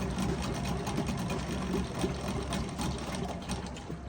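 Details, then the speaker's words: 1968 Evinrude 3 hp Yachtwin vintage outboard, run before winter storage, probably not run since April: soft, even two-stroke putter at about four beats a second, no misses or stumbles; idles clean and very quietly. "Thing idle sound great. Barely hear it."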